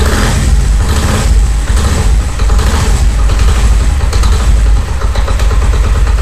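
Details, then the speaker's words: Honda CD70 70cc single-cylinder bike at idle: rough rattling knock when clutch is released, gone when clutch lever is pulled, louder in enclosed spaces; caused by play in the clutch basket. "ये देखि clutch मैंने जो है इसका छोरा है आवाज आ रही है और ये देखिए क्लच पकड़ने पर नहीं आ रही छोड़ने पर आर है"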